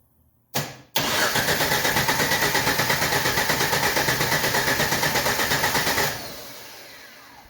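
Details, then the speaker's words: 1990 Jeep, fuel gauge on E: cranks evenly about three beats a second, catches and runs only a few seconds before dying; fuel starvation from empty tank, running on primed fuel. Possible coolant leak suspected. "I mean, there's obviously an issue with the fuel tank. The biggest issue is I can't find the dadgum fuel door. I believe it says that it's on E."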